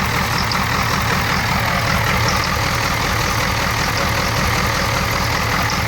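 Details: 1994 Ford 7.3 IDI diesel: deep idle lopes unevenly at roughly two to three irregular pulses a second, yet runs normally under throttle; rough idle, cause unknown.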